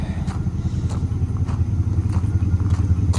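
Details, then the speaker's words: Square-body Chevy small-block V8, reportedly after lifter replacement (stuck lifters, bent pushrods on cylinders 3 and 7), pops when revved: idle with light regular tick; rocker arms tapping on one side, valves probably not adjusted right. "I can hear the rocker arms tapping on that side. So, they probably just didn't get the valves adjusted right."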